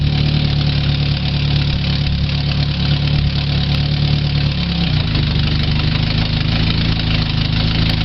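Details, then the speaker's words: 2000 Chevy Tracker 2.0 four-cylinder idling after timing chain replacement; steady, even idle settling lower around five seconds, free of rattles, running normally again, though owner mentions a transmission leak and belt needing to loosen with driving. "but yes as you can hear it has a transition League but at least it's running again"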